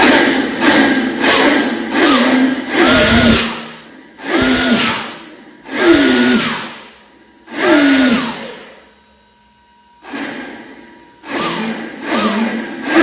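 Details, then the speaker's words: Homemade electric turbo for a Vario, run on battery voltage with its fan on. Repeated throttle blips each sweep a smooth whine up with a strong rush of air, then wind down cleanly. A healthy spool; it gave about 4 psi on the bike earlier. "Kipas angin sudah menyala. Ini sangat kuat."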